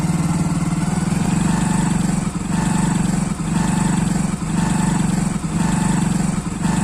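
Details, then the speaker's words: Hero Splendor Plus BS6 with only about 40 km, idling: a regular pulsing hum about once a second; the noise comes from a faulty sensor, after the dealer agency failed to find the cause. "तो friends अब जो आप सुन रहे थे वह इस sensor के आ रही है ठीक है"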